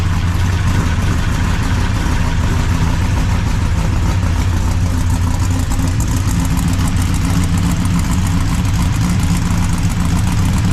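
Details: 339 stroker small-block Chevy with exhaust fitted, after Felpro PermaDry one-piece oil pan gasket install stopped the oil leak; deep, steady, lumpy V8 idle with no misses, knocks or ticks; normal idle.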